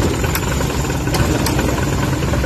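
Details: Suzuki K6A engine idling with air-con on: low, uneven rumble and shaky throb as the engine struggles with the AC load, an IACV idle-up issue, later fixed.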